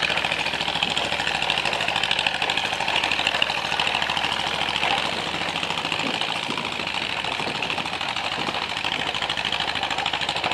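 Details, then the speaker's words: John Deere MC crawler after fuel system overhaul, new muffler, ignition rebuild and sanded points, moving under its own power: steady chuffing under load, even firing with no knocks or misses; running healthy and pulling cleanly. "And I am so happy this thing is up and running. It's moving under its own power. It's alive."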